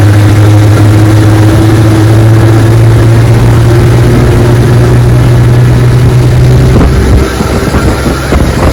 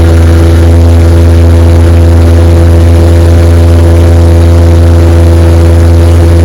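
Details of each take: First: 1961 18 hp Evinrude outboard, restored, cold morning, 14 ft boat near 21 mph: drones steady while pitch creeps up, then drops; revs climb without drive as the prop hub slips at high throttle. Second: 1961 18 hp Evinrude outboard after new rubber prop hubs fitted, chilly afternoon, 14 ft boat at 22 mph: strong, steady drone with fast, even firing and no misses or rattles; runs beautifully.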